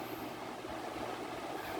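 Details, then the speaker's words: Large-blade industrial fan modified from 3-speed to 6-speed to cut noise for home use, running on its lowest setting: steady, even airy whoosh with faint low hum, no knocks or rattles, yet strong airflow; normal running at low speed. "Actually sa laki ng Blade nito diyan pa lang sa pinakamahinang setting Ang lakas na ng hangin eh"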